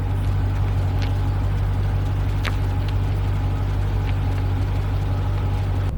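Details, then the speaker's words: 2015 Dodge Challenger SRT 392, 30k miles, after replacing the failing 3.09 rear differential: tight slow turn in a cul-de-sac with air off, only steady tire rumble, no growl or whine; the new diff is quiet and normal. "so let's go ahead and uh swing this around in this nice little culde saac here nice and sharp I'm going to even turn off the air nothing nothing but tires"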